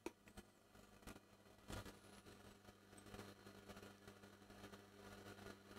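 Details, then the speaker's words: Epiphone Valve Special tube guitar amp, EL84 output tube swapped for a known-good one, master volume at minimum: faint hum with irregular crackles and pops where it should be silent; fault persists, output tube stage suspected. "well looks like we've got the same problem still very noisy fairly noisy without volume at all this thing this thing should be completely silent"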